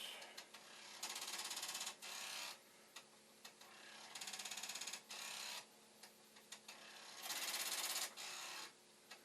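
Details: Commodore 1541 floppy drive mechanism on another drive's circuit board and power supply, head stop being adjusted: bursts of fast rattling clicks as the head bangs its stop; drive failing to read, cause unconfirmed.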